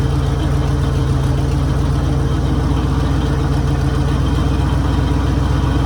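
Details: 1966 Mercury Monterey big block V8 idling after a fuel leak fix: deep, steady burble with an even firing rhythm and no misses or tapping; normal smooth idle.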